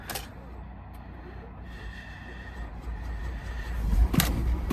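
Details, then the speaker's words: Non-runner started on a jump pack: sluggish, labored slow cranking for a few seconds, then it catches and settles into a smooth, even idle. "That jump pack, it definitely was a slow turning engine, but she's smooth now."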